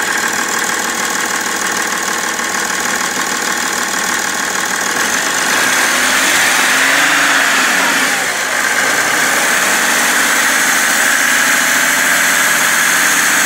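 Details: BMW 330d E91 diesel at idle: even knock about three per second over the clatter, holding steady, with smoke, after main and EGR thermostat replacement; source not yet identified.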